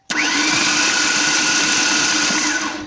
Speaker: he's gonna go ahead and turn it over and you're gonna hear what a no compression engine sounds like all right go ahead go for it hear that sounds like you shut a sewing machine doesn't it